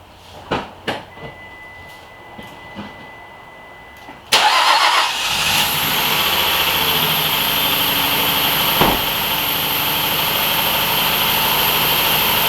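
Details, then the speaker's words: 2013-2020 Nissan Pathfinder just after engine replacement, first start: cranks, catches and idles with loud steady hiss and thin whistle; vacuum leak from an open hole in the intake plenum, sealed with a bolt. "At least we know it cranked, but then I feels like it has a vacuum leak somewhere. You heard that?"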